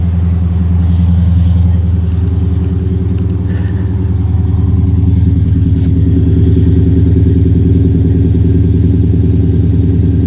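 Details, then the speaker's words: 2018 Dodge Charger Daytona 392 V8 at auction, heard from the rear: deep, even burble at idle with steady low pulse, no ticks or misses, mildly loud, not straight piped; normal idle exhaust note. "Very nice. Not crazy wild. It's not like they straight piped it."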